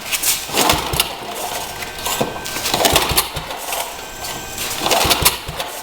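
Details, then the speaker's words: Rebuilt Troy-Bilt tiller, throttle readjusted the day before: repeated pull-start attempts with brief sputters that never catch; hard starting, owner suspects wrong choke setting, choke maybe the other way. "yeah maybe she don't want to [Music] start wait minut choke is the other way maybe got turn the choke off on he"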